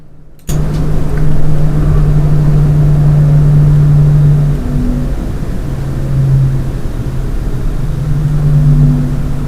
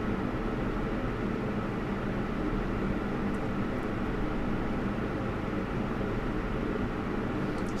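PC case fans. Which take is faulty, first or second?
first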